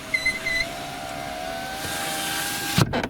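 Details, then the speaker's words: 2013 Citroen C4 power window: two short high squeaks, then steady motor whine as the glass travels down, ending in a thud; glass squeak fixed by wiping the deeper inner door seal with a damp wipe. "друзья всем привет сегодня мы на примере citroen c4 2013 года покажем как устранить скрип стекла"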